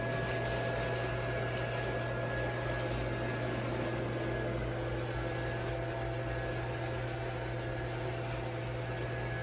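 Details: Small blower fan of an 8ft inflatable penguin: constant low hum with steady airy rush, no rattles, ticks or wavering pitch; runs smoothly, takes a minute to inflate being a smaller fan.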